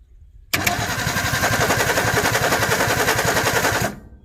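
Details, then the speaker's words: 1961 Ford Falcon Futura parked 20 years, first start on a glass-bowl carburetor: fast, even cranking at about three and a half pulses a second with ragged pops and no catch; plugs fouled, possibly flooded, and the carburetor leaks. "oh yeah we fouled it okay i'm gonna pull these"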